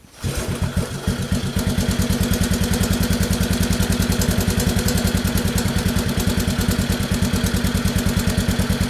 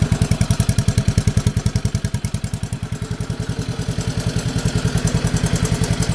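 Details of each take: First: Honda 185S three-wheeler idling after oil change and recoil repair: fast even single-cylinder thumping with only a faint tap left; the previously loud engine tap quieted greatly after the oil change. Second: Honda 185S three-wheeler after a recoil spring repair and an oil change that quieted a loud engine tap: steady, even thumping at slow idle with no loud tapping on top. Normal idle.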